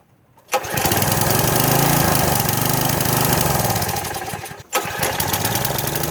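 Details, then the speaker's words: Troy-Bilt pressure washer small engine, first start after about 4 years sitting, only fresh gas added: catches and runs roughly, surging and uneven, nearly stops then picks back up. Hard starting because the choke was knocked off. "the choke had just got knocked off. Like a top. I just knocked the choke off, and excuse me, I forgot to check it before I tried to start it."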